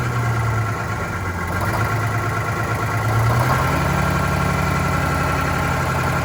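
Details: Vintage diesel bus on a very cold day, idling with a lumpy, uneven beat of about four pulses a second that wavers and picks up slightly; rough idle while priming, clear fuel-line section showing air, suspected air in fuel.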